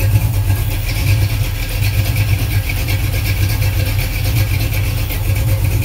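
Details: Chevy 350 (355 ci) on a running engine stand, with forged flattop pistons, 9:1 compression and a mild Comp cam. Deep, even idle with a gentle rhythmic cam lope; runs healthy.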